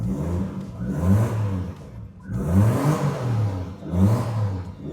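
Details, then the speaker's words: Long-stored Volvo 960 Executive with stock turbo and aftermarket standalone ECU/fuel system, now starting easily: engine rises and falls in smooth repeated free revs with a clean, even low note and no knocks or misses; normal. "Lihat dong, RPM-nya naiknya juga enak banget. Enggak, enggak seperti enggak seperti Volvo pada umumnya."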